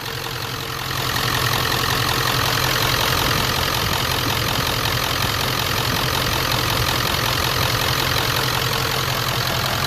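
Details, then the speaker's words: 1994-97 Ford 7.3L Powerstroke with mechanical fuel pump, first crank after fuel bowl delete kit and injectors, filter primed: steady even diesel clatter settling into smooth idle, no misses or knocks; healthy. "incredible first crank I mean the only thing I done is primed the filter"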